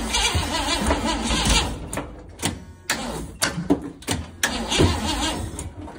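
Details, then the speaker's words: 1971 International Metro Mite, AMC 232 engine, restart attempt with choke held open: starter cranks in halting bursts, catching and stopping; owner suspects way too much ignition timing or needs fuel. "What's it doing? It's like hitting one spot and stopping. It might need some fuel. It sounded like it had way too much timing."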